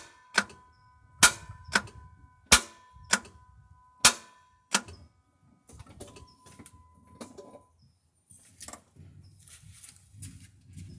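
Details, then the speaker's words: Starter motor clicking instead of cranking: sharp single clicks about once every half second to a second, recorded with the camera under the starter; it seems to come from the starter, though the relay is not ruled out. "camera underneath the starter see if that's where the clicking sounds coming from I mean it definitely sounds like it's coming from there"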